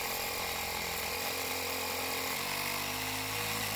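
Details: Four-year-old Stanley jump starter's built-in air compressor, repaired by wrapping the worn plastic piston ring with tape and plenty of lube: fast, even buzzing pump note, steady and rattle-free; running normally and still pumping.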